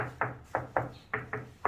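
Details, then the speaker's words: Tapping on wall tile laid with bond adhesive that was not properly compressed and has not fully cured: six sharp taps, each ringing hollow. Firmly bedded tile sounds solid by comparison. "요런 통통 소리가 나요 아까 이런 소리가 나는거 고 여기 위에 는 다 이렇게 단단한 소리가 납니다"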